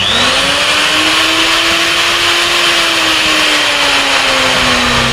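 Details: Woodworking router spinning during a readiness check: steady high whine that sags slightly and recovers under a rough hiss, bearing noise; judged usable but only about 70% healthy.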